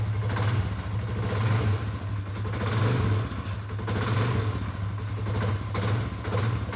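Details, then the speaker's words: 2019 Polaris Sportsman 570 X2 after top-end rebuild, first run before break-in: even single-cylinder thump rising cleanly with revs, no knock or rattle; healthy running. "Well, after a rebuild, that's always what you want to hear. You want to hear it start up and run good, and she is."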